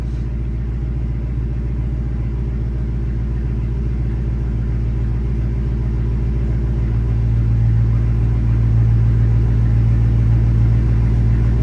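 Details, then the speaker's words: Dodge Challenger R/T V8 idling after the dead battery was replaced, charging voltage 14.6: a steady, even low burble that rises slightly near the end, with no knocks or misses; normal idle. "by taking a back bumper off but yall as y can see we got the light back off and she nice and she sound good"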